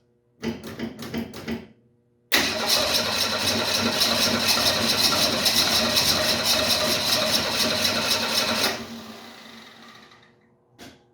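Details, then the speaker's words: 1968 Mustang after fuel was poured into the carburetor: short crank bursts, then it runs rough for about six seconds and dies; owner thinks it almost started pulling gas from the tank, which reads barely above empty. "we are so close guys so close to it running on its own it almost seemed like for a second there was starting to pull gas from the tank"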